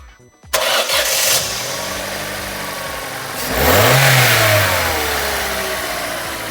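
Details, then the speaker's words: Opel/Vauxhall Corsa C 1.2 petrol with cold-start problems, restarted after cleaning the suspected bad ECU plug terminals: brief crank, catches promptly, blips and settles to steady idle; starting better than before. "Well, it's certainly better than what it was."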